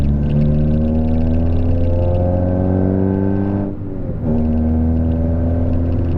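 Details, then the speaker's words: Peugeot 206 driven after fixing clunking over bumps: new sway bar link, coilover, and coilover top mount with new bearing fitted. Steady engine and road rumble with no clunks or knocks from the front suspension. "woohoo everything seems pretty good for now i don't hear any noises"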